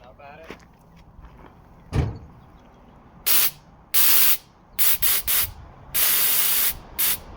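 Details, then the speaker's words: Nitrous purge test after the stuck, rusted nitrous solenoids were rebuilt and cleaned: several short, thin, gassy hiss bursts and little spray. Air in the bottle instead of nitrous; fix is to drain and refill with a fresh bottle. "So there's a bunch of air in the bottle. See, like, no nitrous coming out. So I just need to drain it and refill it with a fresh bottle, and it should fucking purge like crazy."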